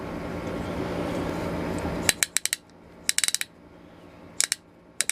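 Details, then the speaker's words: Restored 1890s T-handle ratchet brace after pawl spring reinstalled: crisp bursts of four to six quick metallic clicks as handle swings back, pawl catching cleanly each stroke; normal ratcheting. "That's cool. Oh yeah. That's the sound you want to hear right there."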